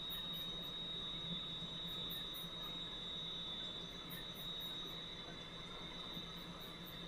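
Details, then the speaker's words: Valve grinder refacing a valve face with lubricant flowing, stone run back and forth: thin, steady high squeal over a soft motor hum as the wheel dresses the valve face; normal grinding. "i'm gonna run this guy back and forth like so it's going to grind the back of that valve off it's pretty straight forward"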